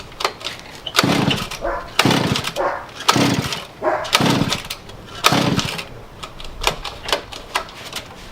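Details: Pocket bike two-stroke with choke on and throttle cracked pops and catches in uneven bursts, won't start; owner suspects it's not getting enough gas and turns the carb fuel mixture richer; hard starting, sputtering.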